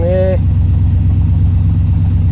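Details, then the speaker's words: 1981 Pontiac Trans Am 301 turbo 4.9 L V8 with new FiTech EFI, idling: steady even idle, smooth low rumble, no misses or knocks; runs normally though idle a bit high, owner plans to adjust it down. "look at that running a bit high on idle I think that's just a matter of dropping the switch down"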